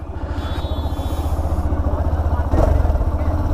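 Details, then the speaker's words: Hero Xtreme 125R motorcycle after service to fix engine noise: steady low thumping at about four beats a second with no knocking or rattle, noise seemingly lower than before; normal engine running. "आवाज पहले से कम लग रही है?"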